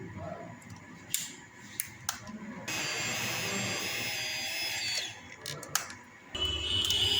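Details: Royal Enfield Himalayan with a starting problem: the reassembled fuel pump is bench-tested outside the tank. A thin, steady high whine rises and runs even. Before the repair it made no sound; it now primes normally.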